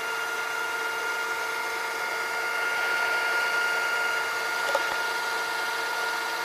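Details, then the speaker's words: Funai FHC-1200 4-head hi-fi stereo VCR (Shintom-built) on fast forward after new belts fitted: steady high-pitched squeal over the fast-forward whir from the transport motor, probably dry bearings; owner has no oil to lubricate it. "So now I'm gonna stop. Fast forward. I need to somehow shut that motor up. I don't have the oil for it."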